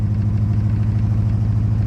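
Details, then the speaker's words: 1965 Buick LeSabre V8, first run since 1989, hot, after cleaning clogged carb and fixing vacuum leak: deep, lumpy idle with uneven shudder and engine rattle; running lean, fuel delivery issue or poor balance suspected, rough idle. "shuttery let's pop it through the carburetor he's running kind of lean look at the engine rattling"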